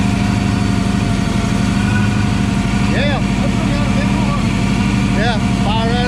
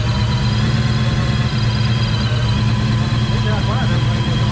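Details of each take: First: Supercharged Coyote-swapped Foxbody Mustang on E85 with 3-inch exhaust, first start: loud, lumpy V8 idle with an uneven beat and stumbles under a steady drone; a slight misfire, cause not confirmed. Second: Supercharged Coyote V8 swapped Fox-body Mustang on E85, three-inch exhaust, first start after tune: deep, steady, lumpy idle with constant low rumble and blower hum, running even and healthy after brief initial misfiring.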